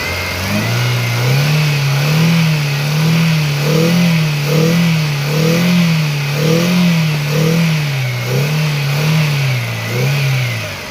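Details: Hyundai i10 petrol engine with code P0300: hunting up and down about once a second with an uneven note from a multiple-cylinder misfire.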